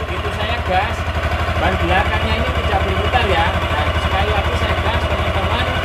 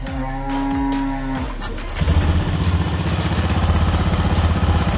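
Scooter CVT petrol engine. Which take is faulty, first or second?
first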